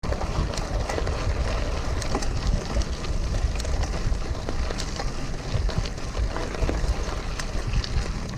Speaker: oh was just some soft tar and it went through it got in the thing there and it I thought the the wheel had come off or something